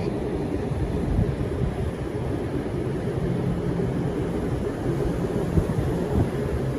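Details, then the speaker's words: Commercial HVAC rooftop unit with EC blue condenser fan motors and a Carel pCO5 controller, fans cranked to full speed: steady, unbroken rushing air roar with no rubbing or bearing growl; normal operation. "All right, now let's go full speed. Let's crank this baby up."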